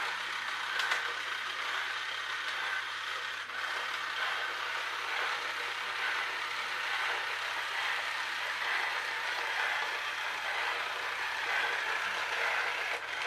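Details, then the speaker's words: Electric toy train styled like a clockwork toy, with a broken split drive gear and no replacement fitted. A thin steady motor whir with occasional sharp clicks as the split gear slips a tooth and momentum carries it through. "not quite as much of a failure as I thought it's obviously a bit of momentum enabling it to step over that Brooklyn gear"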